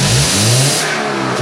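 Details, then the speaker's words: Cheap Subaru with loss of power, revved with holes cut in the exhaust ahead of the catalytic converter: revs rise freely with harsh raspy hiss and roar as exhaust escapes the holes; owner feels it's fixed. "when I step on the gas you can hear the exhaust pouring out those holes you ready"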